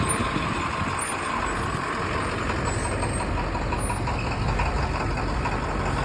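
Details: Bus with a T444E diesel idling with a heavy, rough clatter and a slightly uneven beat; the owner is unsure whether it is a misfire or just normal diesel knock.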